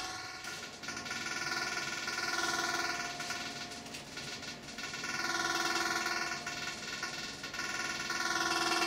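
A steady high buzz rides over a soft drone, swelling and fading every few seconds; an unusually noisy air conditioner, cause unclear.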